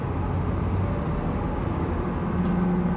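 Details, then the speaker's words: GMC van under acceleration: a deep road rumble, then a low steady hum rises out of it, described as a 'warp speed' whine. It grows horrendous around 50–60 mph; the loud rear end is suspected but unconfirmed. "oh my gosh listen to that i really hope you guys can hear this because it's the most annoying sound but it also sounds like you're kind of hitting like warp speed so it's like whoa"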